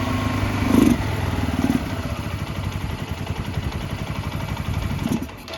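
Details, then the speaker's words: Barn-find 2005 Suzuki GZ250 single with 950 miles, just started on starting fluid and warming up: uneven thumping at about three beats a second, stumbling with throttle. Rough running; owner suspects carburetor trouble, needing more choke, and old gas. "I think we got some carburetor troubles. That's alright. We heard it run. Need a little bit more choke."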